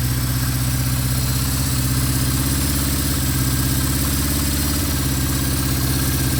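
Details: 1974 Honda CB550 after timing, cam chain, valve adjustment and carburetor synchronization: steady, even four-cylinder burble with a smooth low pulse and no hunting or misses, a clean balanced idle.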